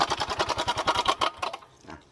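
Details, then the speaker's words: Yamaha Mio M3 125 automatic scooter, CVT checked and fine: fast, uneven chuffing pulses slowing as the engine winds down; rough-running engine, mechanic suspects worn rollers or roller housing. "dan kendalanya ini kasar ya berlangsungnya kasar"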